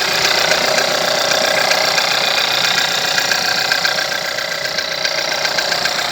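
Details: VW 1.4 TSI petrol engine, over 170,000 km, timing chain recently changed, no oil consumption: steady, fairly regular knock at idle, about two or three beats a second.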